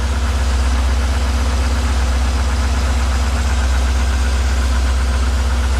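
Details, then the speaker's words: C5 Corvette with LS1 V8 at idle, not revved (drive-by-wire), being driven despite the problem: a dull, regular knock about four times a second over a terrible-sounding idle. Suspected rod knock; the owner plans to pull the oil pan and check the bearings. "now you can definitely hear it sounds [ __ ] terrible hear it in here right now"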